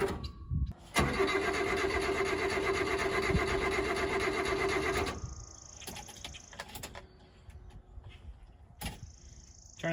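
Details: Subaru Sambar kei truck after winter sitting, about a gallon and a half of fuel added: starter churns evenly about four seconds, never catches, then stops. Crank no start from fuel starvation; fuel pump suspected.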